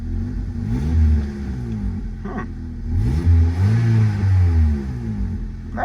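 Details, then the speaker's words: Slammed Honda Civic (ES1/EM2) after work including headers: free revs swell and drop with a deep, raspy exhaust note and puffing at the pipe. Quiet overall but loud at one spot, traced to a known exhaust leak from a hole in the mid pipe. "nice and quiet but it sounds a little loud here so that might be a leak oh yeah it does have a leak i forgot the mid pipe has a freaking hole on it"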